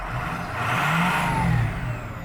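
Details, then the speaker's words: Shop work truck, standpipes changed in October 2020, given a good rev: engine note climbs smoothly and falls back cleanly, no knocks or rattles; sounds healthy. "that's all i'm gonna do it sounds good though [Applause] but she's a work truck"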